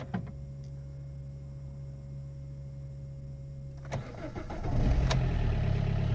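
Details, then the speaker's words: Car after reviving its battery (stabilized at 13.1V): brief crank, then the engine catches immediately and settles into an even idle; normal start. "yes started straight away i think i'm very happy with this"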